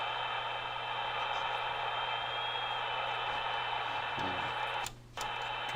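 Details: 1943 Signal Corps BC-348Q tube receiver, 75 years old, original tubes, power-supply electrolytics replaced, supply held steady near 200 V: steady hiss and low hum with a brief drop as volume is turned, receiving and working normally.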